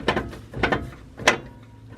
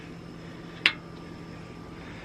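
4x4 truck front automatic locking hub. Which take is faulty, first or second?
first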